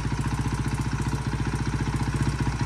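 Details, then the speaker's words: 2009 KTM 450 EXC single-cylinder after carburetor cleaning (muck in float bowl, cracked bowl nut): steady, even thumping, no misses or hunting; accelerator pump and everything working, running cleanly. "but everything works accelerator pump everything's good"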